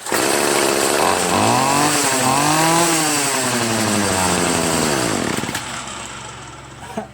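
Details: Free Troy-Bilt TB70SS 33cc two-stroke weed trimmer, unused 3 years, on a cold 37°F day, after high/low carburetor mixture screw adjustment cured bogging at high throttle: revs up and falls back smoothly, clean steady pitch, no bogging.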